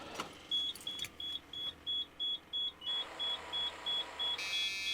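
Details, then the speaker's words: Abandoned diesel motorhome (Cummins/Allison) parked nearly a decade with rotten fuel: on key-on, sharp even ticking about three times a second as the electric fuel lift pump primes, then the engine tries to fire; lift pump working normally. "Now I hear what sounds like a pump. Yep. Here we go."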